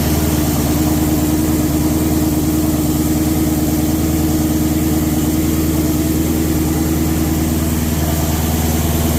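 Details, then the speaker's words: 1300hp twin-turbo Mustang at idle just after new On3 Performance replacement turbos were installed: deep, steady, lumpy idle with an even beat, no knocks or rattles. Running clean. "So that's it guys, gonna close this video out. Turbos are on, she's running, everything looking good."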